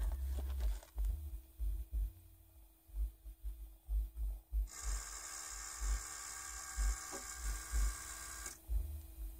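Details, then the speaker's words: 2008 Toyota Prius in ready mode during brake bleed: high electric accumulator pump whine about four seconds with faint uneven low taps from the rear; tapping or knocking during pump cycle, cause unclear, pump suspected failing. "said that you cumulated pump runs and then there's a slight little tapping or knocking noise it comes from the rear"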